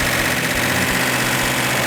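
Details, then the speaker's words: 426 Hemi V8, first start after sitting 20 years: a strong, even burble holding a steady idle with no knocks, ticks or stumbles. It runs normally. "I did not expect that. You know, I'm always excited as can be when something works like it's supposed to, because it rarely does."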